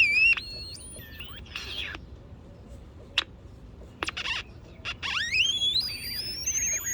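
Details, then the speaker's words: Vintage Sunmark 10-transistor AM/FM pocket radio on a 9 V battery, AM band: shrill whistles sweep up and down over faint static while tuning, with low audio; squeal from bad AVC/AGC filter capacitors, low volume from bad coupling capacitors. "yes yes i am so sounds like we have bad capacitors a bad avc filters causing it to squeal and bad coupling capacitors are causing the low volume low audio"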